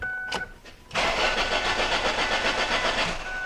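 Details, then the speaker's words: Ford Focus crank no start with new plugs, wires and ignition coil already fitted; engine cranks at even rhythm about four beats a second without catching. Spark confirmed present. "as we can clearly see spark is not the problem with this car"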